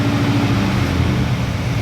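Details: Stock Chevy 350 small block V8 truck after fixing two burnt ignition wires and dirty plug that caused misfire and hesitation; steady even note through a short rev around 1,000-1,200 rpm, no stumbles or skips: misfire fixed, smooth running.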